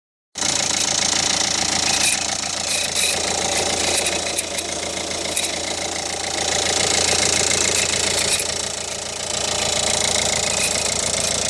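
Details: Ford Focus 1.6 petrol engine at idle: harsh, gritty grinding laid over a steady low hum; engine grinding noise.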